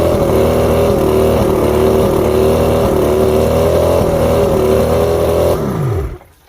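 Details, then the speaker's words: Two-stroke outboard at idle with an uneven, stumbling beat before winding down and stopping; one cylinder missing on weak spark. Coil 4 voltage low while others read about 250; coil tested good, so the switch box (controlling even cylinders) is faulty. "So the coil is good, so it's the switch box."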